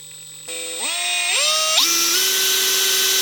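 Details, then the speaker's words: Makita DHP481 cordless drill after greasing its bone-dry gearbox: clean whine stepping up smoothly through the speeds, no grinding or rattle; gearbox now smooth and healthy, where the dry gearbox had sounded rough. "That's exactly what it was. Gearbox is just bone dry, causing it to sound very rough."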